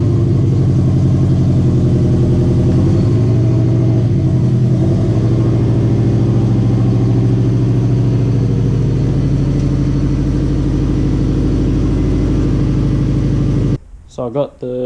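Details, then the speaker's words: Car with a newly finished 3-inch downpipe, run on an open dump pipe: deep, loud, rasping exhaust with heavy low drone at idle and blips, sounding like a race car. "it sounds not bad actually like just try out the dumb pipe is layout and a little bit droney but what do you expect come through that sounds like a race car"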